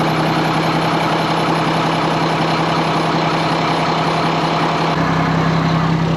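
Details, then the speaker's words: ERF EC11 lorry diesel, just MOT-passed, left on fast tick-over in the yard to warm through for about an hour; steady even chug with low drone, no knocks or misses; normal fast idle, sounds good. "Sweet. That's just sitting running on fast tick over. That sounds good, that."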